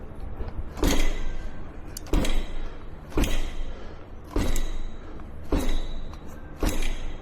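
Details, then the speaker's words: Segway GT3 Pro electric scooter, one day after repair for shutting off during regenerative braking: loose metallic rattle about once a second from the rear wheel area; owner suspects something loose inside the rear hub motor or deck, no visible loose parts. "But, after just 1 day of riding this strange rattling sound appear."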